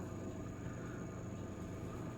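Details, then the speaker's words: Six-year-old Oster convection toaster oven after fan lubrication with synthetic firearms lubricant, previously noisy when cold: soft, steady airy hum with faint constant high whine, no rattle or scrape; fan runs quietly. "oh yes nice and quiet wow I can't even hear it that is awesome"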